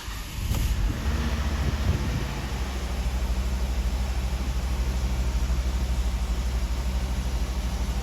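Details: Car engine started after temporary Eternabond patch on cracked aluminum oil pan and refill; catches quickly, oil light off right away, smooth even steady idle, no knocks or rattles. Normal start and idle.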